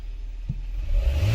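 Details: Toyota Camry 4-cylinder after freeing a sticking part and reassembly: fires after a brief crank and settles into a smooth, even low rumble with no stumble; normal start and idle.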